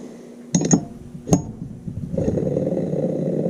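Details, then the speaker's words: Dishwasher motor, stiff after sitting on a shelf, spun by hand: a dry, gritty rumble from the bottom bearing, unlike the quiet other side. The bottom bearing is bad, a sealed or pressed-shield type. "That's not going to do. That is not going to do at all. So that's a bad bearing right there."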